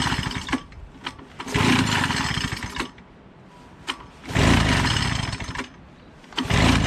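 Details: Small mower engine, reassembled and primed three times, catches and roars in short bursts when sprayed, then dies between sprays; it runs only on spray, and the owner says the primer isn't working.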